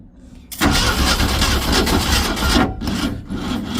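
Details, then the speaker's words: 1966 Ford Econoline first start after long storage: engine catches with a ragged, uneven firing beat that dips and stumbles, then picks back up; owner unsure whether it has too much or too little fuel, and it dislikes opening the air. "I don't know if I got too much fuel in it or not enough yet, but it's I tried to keep it running here for a minute."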